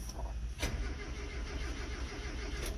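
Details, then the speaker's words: Ancient Ford Courier with choke, in neutral, a light on the dash: steady low starter churning with no catch. The engine cranks but won't fire. "make sure it's in neutral come on here well oh we got something sounds like it's"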